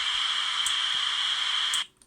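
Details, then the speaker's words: Racal TRA967 VHF FM military manpack radio, heard through an earpiece on the accessory socket, in rebro whisper mode: loud steady hiss for nearly two seconds, then cuts off; receiver static. "Turn it on. Oh, there's a hissing there."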